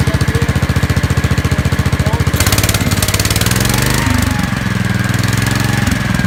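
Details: Gravely 5865 with a 16 hp Kohler K341 single-cylinder: a quick, even thump at about 3.5 beats a second that settles and runs steadily without stumbling, running perfectly after a rusty solenoid that put out only about 10 volts was found to be the no-start cause.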